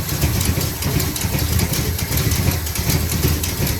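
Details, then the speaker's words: 1974 Dodge Power Wagon W200 V8, restarted after sitting 15 years on old varnished fuel: slow, uneven, loping idle, a little low and smoking slightly; low rough idle, suspected vacuum leaks and needing tuning. "It's a little low being idle. Sounds like we got some vacuum leaks and could use a little bit of tuning, but I mean, it's smoking a tiny bit."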